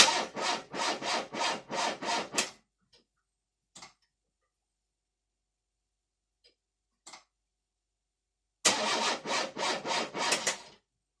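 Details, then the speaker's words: Car first start after repair, having stood from 21.10.16 to 18.08.18: two bursts of sluggish cranking at about three compressions a second, engine never catches; slow crank, no start, starter-charger then called for. Cause not confirmed. "Да, Егор, не мучай, да, этот. Ладно, все. Ставь пускозарядку."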